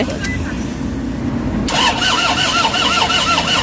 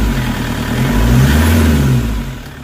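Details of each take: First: Toyota Hiace diesel, won't start, codes P0087, P0107, P0400: two long bursts of steady starter cranking with no firing or catch; crank no-start from low fuel rail pressure. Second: Toyota HiAce common-rail diesel with crank-no-start and codes P0087, P0107, P0400, after timing setup: catches and revs up smoothly, then settles into an even, steady rumble with no knocks or misfires; normal running after the fix.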